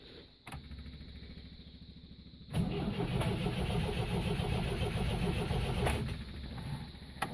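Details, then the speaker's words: MGB being got running after carburettor work, idle not yet set: steady starter churn at roughly three to four beats a second, cranking on but never firing; cause unknown, a loose starter motor connection later found. Crank, no start. "now doing the same thing hmm i think you may have a problem with starting"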